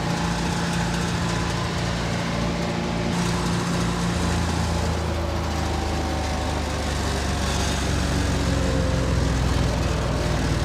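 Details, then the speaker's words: Bandit 65XP chipper's Vanguard engine after converting from mechanical to electric low-pressure fuel pump with a new feed line: steady firm even beat, settling to lower speed and holding; runs normally. "She's old. But I tell you what, with that new feed tube in her, she does pretty good."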